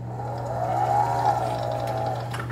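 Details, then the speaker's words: Frontier V6 off-road wheelchair drive motor after wheel service: steady low hum with a wavering whistly whine; owner unsure whether bearing or brushes are at fault. "Oh, that's bad. Ugh. I don't know if that's a bearing or brushes or what's going on, but holy cow."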